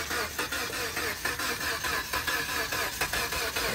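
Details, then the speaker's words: 2013 Chrysler 200 with 2.4 L engine at a police impound auction, jump box connected: starter cranks repeatedly with uneven pulses but the engine never catches or fires, cranking but not starting. "the 2.4 L engine on this one trying to start and not going to uh catch in fire so trying to but uh just not doing its thing on this one"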